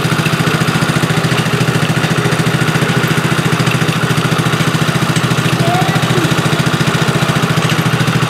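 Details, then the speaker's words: Tao Tao ATV, unrun for a couple of seasons, with a missing wiring loom replaced and carburetor cleaned, wheels off the ground: a steady, even putter with no misses or surging. It idles cleanly and sounds good. "sounds good though doesn't it well you want to get her put back together no sounds real good"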